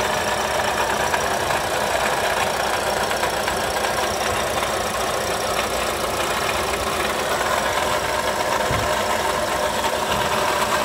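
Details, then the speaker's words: Toyota Sienta idling, oil pressure light off: steady gritty rough whirring from the front of the engine bay, loudest near the water pump; worn water pump bearing, fixed by replacing the water pump. "kita cek kualitas oli dan sekitarnya Apakah itu bearing water pump Atau lainnya yang menyebabkan bunyi kasar"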